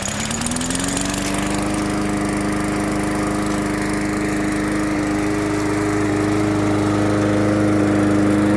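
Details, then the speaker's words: MTD 20-inch push mower after carburetor, air filter and spark plug replacement: starts on the first pull and holds a smooth, even drone with no misses or surging; runs steady and healthy. "Well, it started on the first pull that time."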